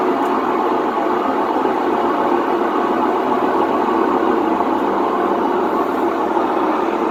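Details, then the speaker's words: Whirlpool WTW4950XW washer in drain/spin cycle: loud, steady rumbling roar as the drum spins, the typical sound of worn drum bearings. A coin was found inside the drum. "vamos a escuchar este sonido que es lo considero como típico de una lavadora con problemas de rodamientos"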